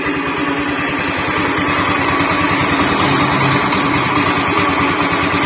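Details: Honda Beat FI scooter before repair, running: steady harsh, gravelly rumble from the middle of the engine; worn crankshaft bearing.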